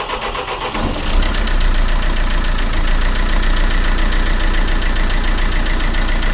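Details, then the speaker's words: Mercedes-Benz C-Class S204, OM651 diesel, after timing chain replacement: short crank, catches at once and settles into smooth even idle clatter, diesel heard flowing back in return line; normal start and idle, car since driven 660 km without problems. "你可以听到柴油在回油管中回流的声音。它启动没有任何问题。"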